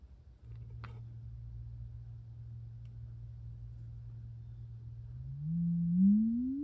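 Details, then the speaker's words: Mid-1930s Knight 98AE-184K six-inch electrodynamic loudspeaker, field coil energized, after shim repair: signal-generator sine near 100 Hz then sweeping up, clean with no buzz, rubbing or rattle at 100 or 200 Hz; cone moves freely. "okay no rubbing now we're buzz rattle at 100 hertz or 200 hertz"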